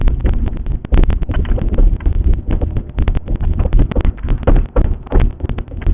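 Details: BMW E36 moving: irregular dull clunks and knocks from the rear over a heavy low rumble; owner cannot find the cause of the rear-end knocking.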